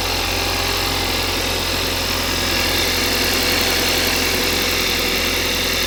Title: Стук на холодную